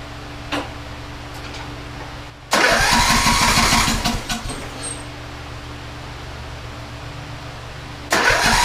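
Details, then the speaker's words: TroyBilt riding mower from April 2008, after reassembly: two long stretches of steady cranking with no firing. The engine cranks but won't start; spark was present, and it later proved short of fuel. "So it will not start up. We're going to first check for spark."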